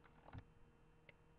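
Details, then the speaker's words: Laptop cooling pad fan under a laptop: a quiet hum with a short cluster of light ticks, then one more click a second later; intermittent clicking from the fan. "you're going to pick it up my mic isn't like doing this when it's clicking but you might hear it but it's like this little laptop cooler thingy with a fan underneath my laptop"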